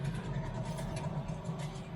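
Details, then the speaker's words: 2011 Toyota Camry on a lift, right rear wheel spinning free: low, rough steady growl; worn right rear wheel hub bearing near lockup, missed by dealer, replaced along with rear pads. "Sounds like a bearing. Could be the pad, but because they did say it had the inspection that they had."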